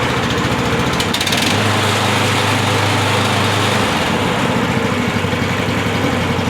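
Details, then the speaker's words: SDLD25 dumper crawler diesel just after installing a hand throttle cable in place of the foot throttle: steady clatter at even speed, then drops smoothly when throttled down, with no misses or knocks. Normal run-up and throttle-down. "down, works fine. So that was a real easy install."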